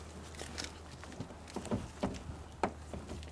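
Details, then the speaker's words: After fitting a new door check strap and bending the wave washer for extra spring tension, the door opens and closes with only slight creaking from the check strap balls, no sharp snapping. "at that you still get a little creaking from the check strap balls but you don't get that snapping noise when"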